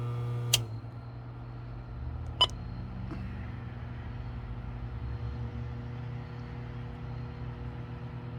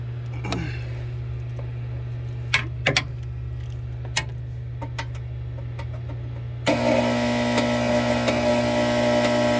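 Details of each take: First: 2015 Frymaster FPEL314CA 208 V three-phase electric fryer after replacing the stuck heat contactor: steady low hum with crisp contactor clicks as the element cycles in, temperature rising; normal heating cycle, noise apparently fixed. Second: 2015 Frymaster FPEL314CA 208 V three-phase electric fryer while cycling heat: a loud, steady mains buzz under clicks and fan noise. The heat contactor is stuck (button not returning) and needs replacing.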